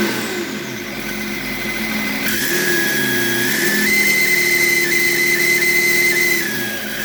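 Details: BMW E38 with M57 3.0 diesel after fitting a rebuilt turbo: thin high whistle rising with revs and fading as they drop, same whine as the old turbo; disappears when the variable geometry control valve connector is unplugged, cause unknown.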